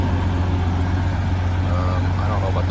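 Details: 1994 Honda GL1500 Goldwing Aspencade after aftermarket fuel pump replacement, running over 20 minutes and warm: smooth, even low hum with a steady beat, no misses or knocks; clean normal warm idle, zero smoke.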